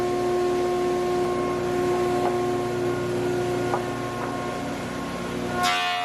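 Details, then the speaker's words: Large used planer running dry English walnut, dust extraction not yet connected: steady humming drone at a constant pitch while the board feeds through, then a smooth run-down; sounds healthy. "Guys, this thing is an absolute monster."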